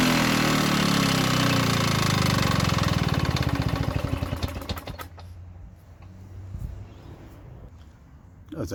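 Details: Victa Sunbeam mower from about the mid-1970s, running on a carburetor borrowed from another mower in place of its KBY carb: steady, even buzz for about three seconds, then winds down and stops. Motor sounds healthy but was slow to start.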